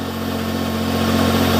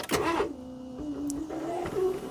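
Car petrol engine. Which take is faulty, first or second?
second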